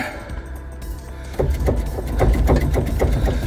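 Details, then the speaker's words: London Black Cab front suspension worked back and forth on full lock: repeated dull clonks about three a second from worn upper control arm bushes, before polybush upgrade. "See the move in that? That is definitely 100% my clonking."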